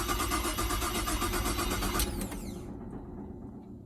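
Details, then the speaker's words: Holden Commodore VZ: the starter cranks steadily at about four beats a second with no firing, then winds down. Crank, no start; the owner suspects the ignition. "see she keeps cranking I think the ignition is a problem"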